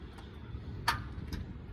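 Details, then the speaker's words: 2001 Ford Ranger XLT 4WD with jump box connected: a few sharp, isolated starter clicks, no cranking, won't turn over; it started days earlier, cause unknown. "Has the jump box hooked up to it. You can hear it clicking. Not going to turn over."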